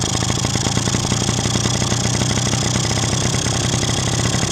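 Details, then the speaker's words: Two-stroke idle turns busy, uneven and thin with hunting crackle as the mixture (quality) screw is backed out, running lean; screw suspected to have loosened itself in use after being set about 1.5 turns out; screwing it in drops revs as expected. "вот видите, мотор стал беднить. Слышно, вот эта беднота пошла. Вот те признаки, которые у нас и были."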